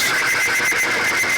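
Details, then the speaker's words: Timken bearing test machine at 3 weights after reaching 12 weights: harsh steady scraping hiss with high squeal and quick regular pulse; the oil film has broken down and metal is scuffing and overheating. "you can hear it riding it's tearing things up"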